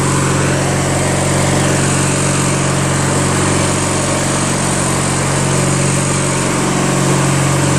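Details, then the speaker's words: Craftsman LT1000 lawn tractor, 21HP opposed twin, first drive after engine rebuild, automatic transmission, driving including reverse; steady smooth low thrum, no knocks or misses, engine healthy. "Engine runs so smooth, man. So fast, too."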